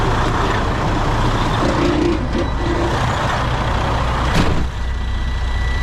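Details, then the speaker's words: 2011 Freightliner Coronado DD15 diesel after fuel injector and harness replacement and priming fires right up into a deep, steady idle with no misfire, knock or rattle; running clean. "he's trying and she fired right up wow that worked fantastically"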